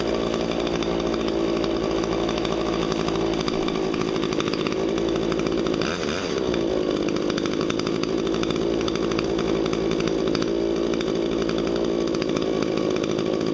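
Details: Hedge trimmer, just after blade sharpening and gearbox regreasing: steady high buzzing at constant revs with no surging or stumbling; running smoothly and healthy.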